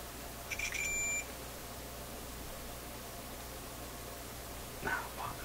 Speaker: Now that was showing a short and then it kind of disappeared. What's the action here? It's really getting to be is annoying.